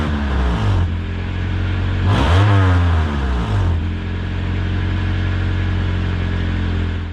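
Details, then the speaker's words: 1993 Honda Civic after patching the exhaust pipe/muffler with muffler tape: steady low exhaust rumble at idle with a rev blip, quieter, without the earlier loud moaning drone; owner doesn't call it a full fix. "it's quieter than it was it's not making that loud moaning and droning sound that it was doing before"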